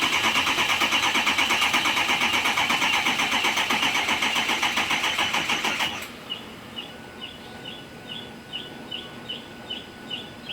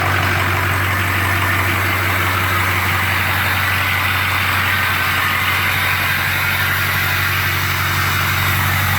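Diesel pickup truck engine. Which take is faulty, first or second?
first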